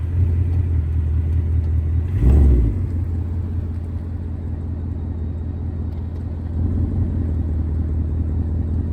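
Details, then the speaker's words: 2024 Ford Mustang GT, about 3,000 miles: steady idle rumble, then one dull click or thump from the right rear as power is applied after shifting reverse to drive. Owner suspects axle or wheel bearing; not confirmed. "if I'm in Reverse I back up a little bit it's like I load up power I'll hear a click I put it back into drive apply power load it up I'll hear a click again"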